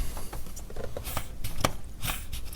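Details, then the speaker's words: 2002 GMC Sierra LB7 Duramax diesel after fuel filter change, priming with the bleeder screw loosened: short spitting hisses and clicks with each pump stroke as air is pushed out and fuel drawn in; air purging from fuel filter bleeder. "hear the air coming out so this is pushing the air out and drawing the fuel in as you pump this"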